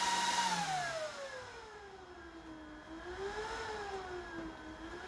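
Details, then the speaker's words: Dell DPS-488AB server power supply fan, speed adjusted; clean thin whir slides down then rises and falls gently as speed changes, fan running smoothly. "So I'm going to switch it on at the front. And you can hear the fan coming up."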